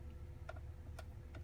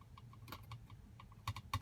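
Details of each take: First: 2022 Tesla Model Y after the mirror trim cap was refitted with a makeshift fix: three crisp taps die away cleanly with no rattle; the noise is gone. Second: 2022 Tesla Model Y: quick, uneven bursts of light plastic clicks, growing denser toward the end, from the overhead console cover by the rear view mirror, held by only two clips, rattling loose.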